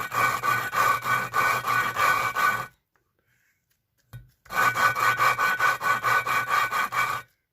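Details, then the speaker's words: VW 2.0 16v 9A cylinder head, valve hand-lapped again with fresh coarse paste, head has sat in water: loud gritty rasping, about two strokes a second then pause; seat still not mated. "Right, and you'll hear it's loud again, so I'll just put it down. And that's loud, so we'll do it again."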